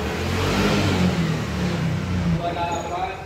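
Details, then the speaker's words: 2021 Yamaha All New NMAX 155 with history of late oil changes: rough, uneven rattle at idle, loose chatter about three per second; initial diagnosis suspects the cam chain tensioner. "286 untuk unit motor kita coba Nyalakan suara kasar seperti ini muncul ya informasikan dari pemil kendaraan informasi riwayat pernah e Terlambat untuk melakukan pergantian oli nah kali ini suara kasar ini untuk diagnosa awal kita curiga ke bagian dari Tensioner ya"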